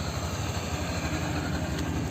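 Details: Honda Beat 2022 scooter started from newly fitted remote alarm without key: small engine ticking over at steady, even idle with low rapid putter, nothing irregular; runs cleanly, normal idle.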